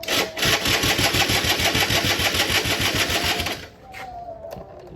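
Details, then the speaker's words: Yamaha F1ZR two-stroke, long unused; loud, gritty grinding rattle over a quick beat about three per second, stopping when the engine cuts; owner blamed the clutch housing, mechanic suspected otherwise; worn crankcase bearing found. "Nah ini keluhannya sih rumah kopling bilangnya, cuman saya sih feelingnya bukan rumah kopling ini karena suaranya berisiknya cukup ekstra banget."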